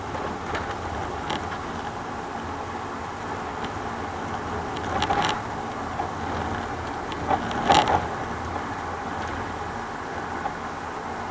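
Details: 2000 Toyota Sienna driving over small bumps, camera at rear: sharp rattling clunks over road noise with repeating frequency; front struts replaced earlier didn't cure it; worn rear shock absorbers and bushings, fixed by replacing rear shocks.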